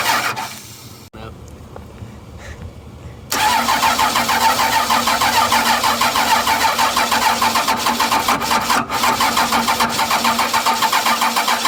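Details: 12-valve Cummins diesel after nine years sitting, fuel shutoff valve pushed up by hand: fires abruptly and settles into an even steady idle clatter; runs good, injection pump seems a little sticky.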